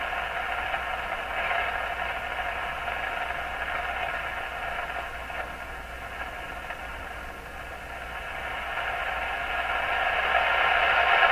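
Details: Stromberg Carlson Model 515 radio during intermediate-stage alignment to 455 kHz: steady rushing hiss with faint drifting signals and a voice, louder toward the end; receiver oddly oversensitive at the very end of the band.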